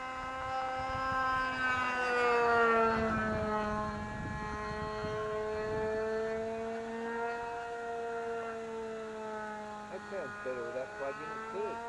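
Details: Vintage RC plane engine after swapping plugs: high buzzing whine that holds steady, then sags and climbs smoothly with the needle, with no misfiring or sputter; runs healthy.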